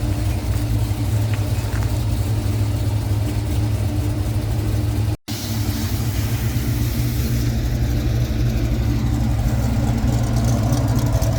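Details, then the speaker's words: 1989 Ford Mustang with a 351 Windsor V8 after idling a while, not yet 180°, oil pressure just over 50, AFR about 13.2–13.5: deep, even V8 burble at steady warm idle, no knocks or misses; normal healthy idle. "All right, we've had it idling for a while."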